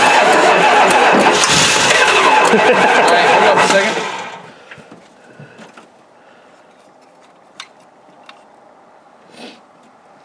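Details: 360 engine after three years of sitting: about four seconds of steady cranking churn, roughly four beats a second, then it stops without catching; turns over but won't fire.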